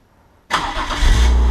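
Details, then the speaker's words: BMW E36 with a broken ignition switch, started by touching the green starter wire to the yellow wire: a brief crank, then the engine catches cleanly and settles into a steady, deep idle. Normal start. "ideally if I touch this - this green wire the green wire to the yellow wire the car should start"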